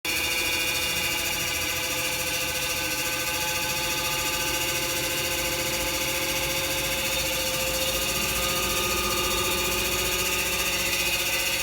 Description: I dont know whats wrong with my washing machine.its work well but make a noisy sound.